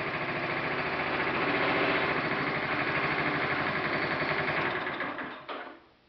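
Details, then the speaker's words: 1974 Vega engine running on hydrogen (Brown's gas/HHO) with no gasoline: steady, even putter at idle with no pinging, pre-ignition or detonation, then winds down and stops when gas is removed; clean smooth idle. "let's see hydrogen as in Brown's gas idling an internal combustion engine you can see that it runs very smooth no pre-ignition or detonation"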